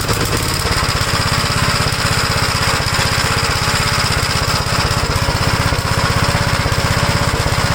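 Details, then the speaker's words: 1956 Gravely L single-cylinder engine, carburetor swapped from a 1957 unit and no longer flooding: lumpy, uneven thumping about four beats a second at steady speed; still runs rough, cause unknown, owner wonders about damage from an earlier governor runaway. "it doesn't leave gas anymore but it just still runs the same it's just I don't know why"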